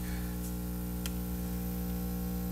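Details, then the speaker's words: 1931 battery charger, 93 years old, charging at just under 5 amps: loud, steady mains hum with a coarse buzzing growl that vibrates the whole bench. "Okay, here we go. Oh, that's nasty. The whole bench is vibrating."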